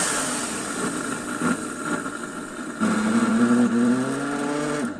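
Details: Electrolux Dolphin Z2230A vacuum cleaner, first power-up after 5–6 years stored in a shed, mouldy and filthy: motor roar with clear tone climbing steadily as it spins up, even, no knocks or grinding; sounds healthy, though an awful noise occurs on wind-down.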